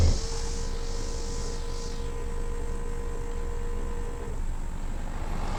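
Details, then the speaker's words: VR6 VW Beetle (MK4), ABS module bleed run from OBD11 scan tool basic settings group 1 with brake pedal held hard: steady low electric pump hum with faint whine runs about four seconds then cuts, normal ABS pump cycling. "You can hear the pump activating, letting any air out."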